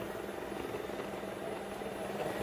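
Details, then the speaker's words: Shark ION RV850 robot vacuum after clearing hair from the brush, running on rug: steady whirring drone with rough gritty undertone; grinding like a slipping gear persists, suspected belt or main brush motor, not confirmed. "it definitely sounds better no not there it goes it's still doing what it was so that might have helped a little bit maybe took a little pressure off that gear but it definitely was still especially when it's on the rug making much more of that grinding sound"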